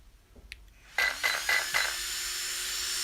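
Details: Newly fitted Protek ESC cooling fan on Mugen MBX8 Eco with replacement ESC, after recalibration: a few quick clicks, then thin steady whir, no rattle or wobble; fan running fine.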